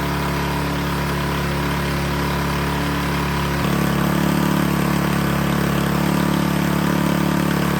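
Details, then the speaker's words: Toro Power Clear single-stage snowblower that had backfired loudly on pull start and then wouldn't start, after repair and with its very low oil topped up: it runs smooth and even, steps up in speed and stays steady with no misses or pops. "All right, it is running like a champ."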